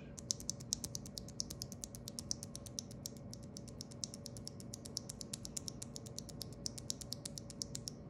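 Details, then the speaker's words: Stock Corsair OPX keyboard switch (light, roughly 30-50 g) without lube or film: rapid sharp clacks with bright metallic ping and scratch, compared against a switch lubed with Krytox 205g0 and KBD Fans film. "tock without any lube or film very clacky you can they're pinging around you you'll hear the difference here"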